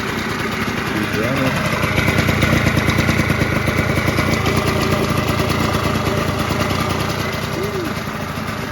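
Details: 1989 Yamaha Zuma 50cc two-stroke Prebug moped, being built to 70cc, first start after reassembly with direct fuel, petcock removed: small buzzing at a steady, slightly uneven idle with voices over it, no knocks or grinding. Normal idle.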